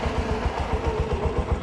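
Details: Bajaj auto-rickshaw BS4 single-cylinder engine, rebuilt about 3.5–4 months earlier, after re-fitting to chase a knock: quick, even idle thump with a steady beat and no knock or rattle. Trial run confirms it's fixed and running clean.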